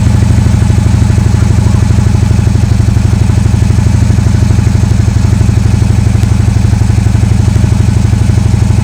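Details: Harley-Davidson after dead battery, VIN error and clicking traced to bad battery, tuner reconnected: deep loping thump about three beats a second, steady, no stumbles; starts and idles normally.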